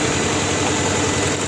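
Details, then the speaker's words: Opel Vectra 1.6 with new spark plugs and plug wires that still misfires, starts hard and lacks pull. Rough, uneven idle with a stumbling beat; pulling cylinder 1's plug wire changes nothing. Misfire; a compression test is planned. "Bu arabada tekleme var. Geç çalışma var. Sorunu çözülmemiş."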